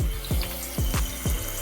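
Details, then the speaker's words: Toilet after replacing the fill valve (old one shook the wall on flushing): water rushes steadily into the tank with soft gurgles, no hammering or buzzing; no leaks, refilling normally. "letting it fill up there's no leaks underneath here no water coming out that's a good sign there's no leaks there's no water it's still filling up right now so that's a great sign"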